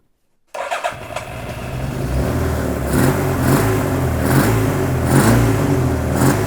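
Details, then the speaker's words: Donated Suzuki Katana being recommissioned, after swapping two swapped plug leads: engine catches and settles into a smooth, even four-cylinder beat with light blips, now running on all four. "that's definitely on four now"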